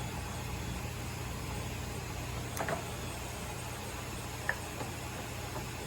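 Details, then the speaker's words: Koan Cho KC1640 lathe running in the low speed range. A low, even hum with no knocks, rattles or gear whine, just a couple of faint ticks: the lathe runs quietly and smoothly, normal. "yeah that's close all right wow she's nice and quiet"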